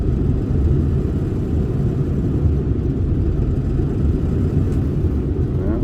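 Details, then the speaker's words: 2002 Ford F-350 7.3 diesel, towed in as a crank-no-start with a failed cam sensor and an injector driver module code, idling during a cylinder balance test. The deep idle has a lumpy, uneven beat and is definitely missing; a bad injector or module is suspected. "so I'm doing a cylinder balance test definitely missing"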